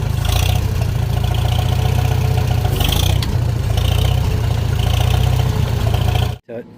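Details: Fully restored 1958 Farmall 450 tractor: steady, even low engine beat with no knocks or misses, running smoothly right up to shutoff; normal running.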